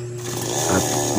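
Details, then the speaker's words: Chainsaw that would not start and died right after starting, now running after a loose spark plug was fixed (fuel and compression were present): small two-stroke buzzing steadily and picking up a little, no misfires; runs properly. "so Dito nga guys ay umandar na siya"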